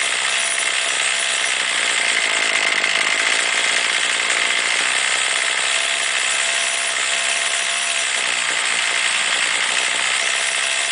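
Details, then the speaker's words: Warmed-up two-stroke weed trimmer with string out at the cut line for load: high buzzy scream falters slightly as the mixture screw is turned clockwise then counterclockwise to its lean and rich bogging limits; final setting is meant to be slightly rich. "turn it clockwise until it starts bogging down a little bit and then turn it counterclockwise until it starts bogging down a little bit"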